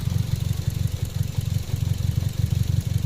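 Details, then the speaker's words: 2015 Toyota Vios (NZ engine) with muffler, no trouble codes, uniform cylinder readings, reluctant to rev: low lumpy idle with uneven pulse about three per second and shaking, heard at exhaust; misfire suspected, checking plugs, throttle body, coils, filters. "May alog nga siya, may nginig."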